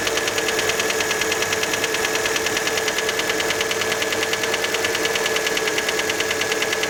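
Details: Fiat Panda engine at cold idle after a start: a sharp, regular metallic ticking knock, about three per second. Many suspect the piston skirt, but the source is unconfirmed.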